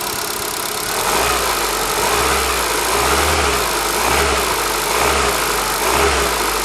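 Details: ZAZ Forza, 2,500 km, fresh 5W-40 synthetic oil, warm idle after about 5 minutes: light tapping roughly once a second over idle hum; vanishes briefly on throttle blip; owner suspects lifters or injectors, later traces it to an ancillary unit, engine quiet.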